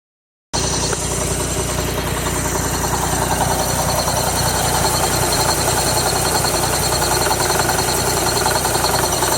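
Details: 2006 Mazda Miata NC petrol engine idling with a loud, steady knock about three times a second; it worsened after several minutes at 4,000 rpm on the highway. Replacing the failing A/C compressor fixed the knock and idle.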